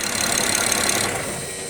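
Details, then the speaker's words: BMW X6 E71 with N54 engine idling rough, rpm going up and down, with uneven ticking clatter; misfire and rough idle traced to leaking number two fuel injector, injector fault code present. "okay guys you guys can pretty much see what we're discovering here which is a leaking injector number two"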